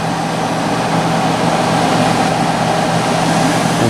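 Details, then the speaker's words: Curbside-found Hampton Bay (Whirlpool) BHDH2500AS1 dehumidifier at switch-on: steady even hum with soft flowing refrigerant hiss rising smoothly, no rattles or knocks, from what sounds like a reciprocating compressor; normal healthy start. "the compressor has a nice startup sound. A lot of these Hampton Bay branded ones did have a nice startup sound. Should be a reciprocating compressor in there."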